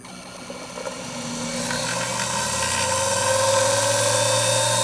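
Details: Grizzly G0781 mill motor on a bench test run after its 1.5 hp armature was swapped for a 2.5 hp armature in the shorter magnet housing, pulley fitted; it spins up into a steady rising hum with even whine, no knocks or scraping, healthy.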